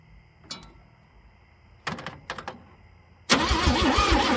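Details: Chevrolet C10 after wiggling and checking ignition wires, before the coil swap: a few clicks, then the starter cranks evenly about three times a second and the engine never fires; owner suspects timing or a bad coil.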